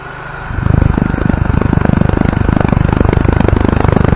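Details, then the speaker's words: 2004 Wildfire 150T GY6 150cc Chinese scooter test-fired after valve adjustment (valves previously adjusted at 1,000 miles, suspected out of spec, ticking): engine catches quickly and settles into a fast, even chugging idle. "so I think the valves we're out of spec again so let's fire it up and see if it's still ticking"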